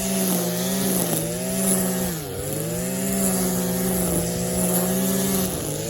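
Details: Stihl KM94 RC combi powerhead with strimmer attachment, tested after a rebuild with new bearings, seals and carb work following years of hard use: high buzz holding steady pitch, dipping and picking straight back up with each blip; running smooth and healthy.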